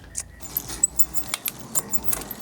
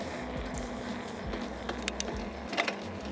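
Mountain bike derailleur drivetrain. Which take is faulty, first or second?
second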